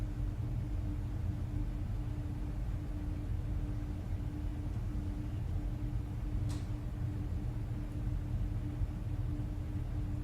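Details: Goodman gas pack in air-conditioning mode, reported freezing up; about 68° outside, return 65–67°, supply 51°, spread rising 16–18° toward a good 20°; steady low rumble of moving air, even mid-pitched hum, no rattles or surging; running normally.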